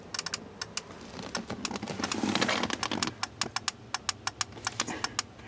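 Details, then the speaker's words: 2006 Ford F-250 with stuck horn pad and repeatedly blown horn fuse: sharp dry clicks in uneven bursts of two or three per second; horn relay chattering, owner suspects short, possibly linked to alarm system. "this is obviously activating him because I can hear the horn relay"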